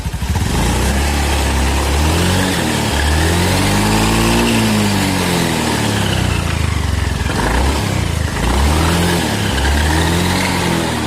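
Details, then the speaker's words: Honda Beat FI scooter on a stand after CVT repair for rough noise: engine revs and settles, drive running evenly without the previous rough grinding or droning; smooth CVT operation. "suaranya aman udah enggak seperti info2 nya Kasar banget"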